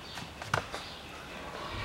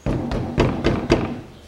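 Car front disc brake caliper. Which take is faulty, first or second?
first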